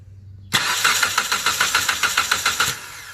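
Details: 2013 Chrysler 200 with a no-crank, no-start complaint; the starter power feed tests good, and with the PCM start command bypassed and power applied directly, the starter cranks steadily and strongly at about three and a half beats a second, so the starter itself works.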